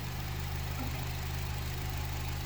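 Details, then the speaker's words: 2012 Honda CR-V, 140,000 miles, after replacing timing chain, intake cam phaser, guide rails and tensioner for P0341 and hard start-up rattle: smooth even idle, steady low hum, no rattle; code and noise gone. "But yeah, the code is no longer there, and noise is no longer there either."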